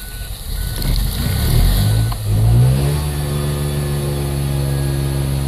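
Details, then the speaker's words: 2004 Mazda RX-8 rotary started after the deflood procedure, air pump disconnected, throttle feathered to keep it running, check engine light flashing; uneven cranking then sputters and catches into a rough, steady raised idle. "and now this RX8 is running now I'm keeping my foot on the accelerator pedal my check engine light is flashing"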